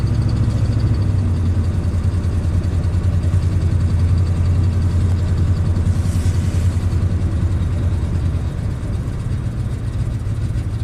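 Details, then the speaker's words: 1996 Ford F250 7.5 big block V8 after rebuild (new pistons, rings, cam), warming up after cold start: deep, lumpy, shaking idle, very low vacuum, running very rich (14 ms pulse width, open loop), losing compression. "yeah it's just running Pig Rich right now look at 14 milliseconds pulse width"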